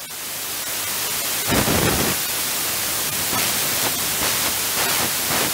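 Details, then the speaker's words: Thames & Kosmos Radio Ace regenerative receiver with a 12BH7 valve on a 13.1 V supply and an amplified loop antenna, shortwave coil. Feedback turned up: hiss, whistling and pulsing, oscillating in the lower part of the band. "yeah that oscillation is happening down I turn maybe the hear that noise that's uh feedbacks happening down the lower part of the band there"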